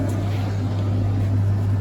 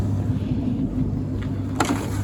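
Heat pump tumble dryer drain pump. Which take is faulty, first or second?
second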